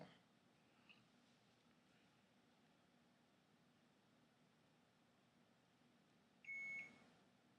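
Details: Thermal tattoo stencil transfer printer switched back on: one short high beep of about half a second in a quiet room, startup without the error.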